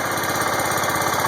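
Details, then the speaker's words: John Deere 140 hydrostatic tractor, single cylinder, warm and idling in neutral after 15 minutes, after freewheel valve adjustment to cure creep: steady, even, quick idle beat with no knocks or rattles; healthy. "And this is a warm start. Believe me, I've been having this thing idling for 15 minutes. So far so good. It's in neutral. No funny noises."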